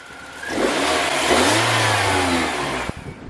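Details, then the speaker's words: BMW 318ti M42 engine, hot restart after sitting about 20 minutes, after fixing intermittent warm-start misfire traced to injector: clean rev and smooth return, no stumble; normal idle and rev. "That is a non-misfiring M42, my good sir. Yes, sir. I knew it was an injector problem."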